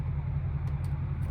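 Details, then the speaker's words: Crash-damaged Mercedes C63 AMG V8, sat for a while, cranked at 11°: low, sluggish starter churning that never catches; slow crank, owner suspects dead battery, not confirmed. "11° out it's barely crank maybe the battery's dead I know it's been sitting for a while not enough to actually start it"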